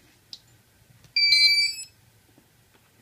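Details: S550 hexacopter with Turnigy 2836 1100kV motors and 40A Plush ESCs, powered up on a KK board after a nose-dive crash: short set of clean high electronic tones then silence; normal ESC startup tune, no fault.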